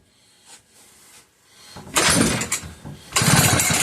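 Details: McCulloch 1-52 chainsaw in a vise, with spark confirmed, after adding fuel: quiet pulls, then ragged bursts of firing that die off as it catches but won't keep running.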